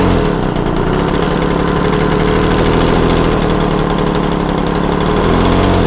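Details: Yamaha TZR 250 3XV two-stroke twin with one spark plug removed: fast, steady beat at raised idle running on one cylinder while that carb's air screw is set.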